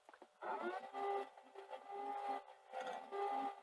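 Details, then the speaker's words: Sony SL-HF950 Super Betamax with an apparent video head fault, no picture, heads apparently rubbed with cotton wool: entering scan gives uneven whirring and chirping swelling about once a second with a thin squeal from the head drum mechanism. "um interesting noise there when i i go into um scan so let's take the top off let's see what's going on"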